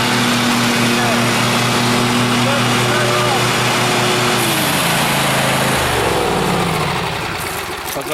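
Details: 2012 Husqvarna flood-survivor riding mower, reverse kill switch plug pulled to bypass it, testing reverse with mower deck engaged: the twin holds a steady even note, then pitch drops as load comes on, running cleanly with no stumble or miss.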